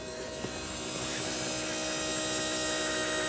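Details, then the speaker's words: Porsche 928 under restoration, fuel pump fitted with fuel tank reinstalled and fuel relay jumpered: steady high electric hum starts immediately and holds an even pitch, normal fuel pump operation. "all right so all we need to do then is connect up here you can hear the fuel pump going straight away"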